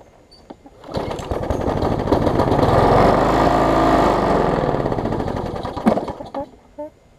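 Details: Bolens 21-inch mower, Briggs & Stratton 500 series, built April 2012, bent shaft, smoking: runs up unevenly with lumpy, rattling firing, then sags and dies; rough running and vibration, sounds like internal damage.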